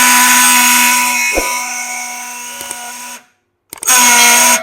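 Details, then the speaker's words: Yamaha R15 V4 starter motor (self) removed and spun free: loud harsh whirring grind, stopping and spinning up again; mechanic suspects the starter's internal bush is cut, causing krak-krak noise and failed self-starting; one-way clutch and bearing found intact. "कहीं ना कहीं मुझे लग रहा है कि इस bike का सेल्फ से सेल्फ के अंदर में जो बूस लगा रहा था सेल्फ का बूस कट गया जिसके वजह से सेल्फ से करा करा नज आते रहता है"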